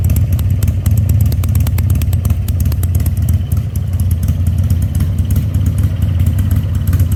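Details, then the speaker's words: 2000 Harley-Davidson 1200 Sportster after carburetor rebuild, restarted with air cleaner fitted: deep, steady V-twin thump, even beat, no misses or clatter; normal running. "okay guys let's crank it back up one time with the air cleaner on it I guarantee it's going to like that much better"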